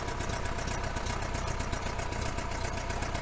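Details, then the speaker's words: 1966 VW Fastback, mileage unknown, blipped slightly: fast even puffing tick over the low rumble from an exhaust leak where the heater box meets the head. "my exhaust leak is back here for the heater box goes to the head"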